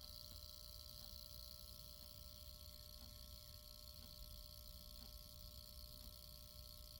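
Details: APC Smart UPS 1000: quiet steady mains hum with a thin buzz on top and a faint tick about once a second; owner suspects the transformer is delaminated, causing the louder hum; the buzz's source, possibly toward the back of the unit, is unknown.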